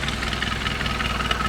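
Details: Chevy 2.2 four-cylinder after cylinder head replacement, idle: fast light puffing tick on top; heard near EGR pipe into intake under throttle body after EGR valve regasketed, manifold not leaking, no gas felt; source unconfirmed.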